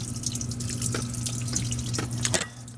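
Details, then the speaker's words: Under-sink kitchen plumbing leak in a 1958 house: irregular drips and splashes over a low running-water hiss, still heard leaking down there; water damage and mold under the floor. "It may not be picking up on camera, but I can still hear it leaking down there."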